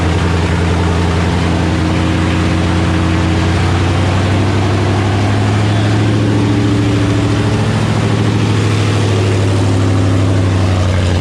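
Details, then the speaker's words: 1984 Fox-body Mustang with swapped Gen II Coyote V8 from a 2017 Mustang GT, just fired up, no coolant yet; deep, even V8 burble holding a steady idle, no knocks, misses or ticks, sounds good — normal idle. "Fire right up, sound good though."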